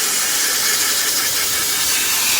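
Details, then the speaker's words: Freightliner truck, parking brake released, new quick release valve already fitted without fixing the leak: loud, steady, high hiss of air escaping from the quick release valve; a faulty brake chamber is the cause. "we have air coming out of this air valve right here which runs into our brake cars so that's only telling me that we have a bad brake pod somewhere"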